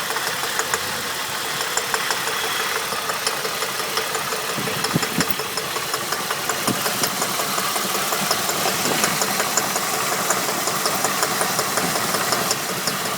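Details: Holden VT engine at idle: light metallic rattling ticks about three per second over steady idle; knock or rattle of unknown cause.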